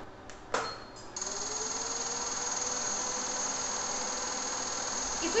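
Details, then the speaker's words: Kulzer HiLite Power 3D light-curing unit for composite polymerisation, new unit running its short 90-second cycle. A few clicks, then the fan spins up with a rising tone and settles into a steady, even high whoosh; normal cycle. "Ceci est signalé acoustiquement par un signal sonore."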